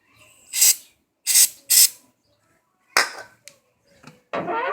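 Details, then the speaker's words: 2010 Volkswagen Voyage (Gol G5), only one door: sharp dry creaks in short bursts as the door swings, from the door check strap that limits opening; penetrating oil spray did not stop it. "Na verdade é uma peça que não deixa a porta ir mais pra fora, ó. E faz esse barulho."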